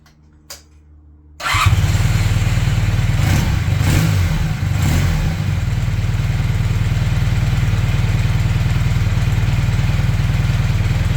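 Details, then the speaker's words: Honda CB400T Dream twin after leaning the mixture, tickover set to about 1200 rpm, on a temporary fuel tank; even, steady tickover with no lumpiness, normal idle. "es seem to be ticking over better less lumpy I've altered The Tick over back to around about 1200"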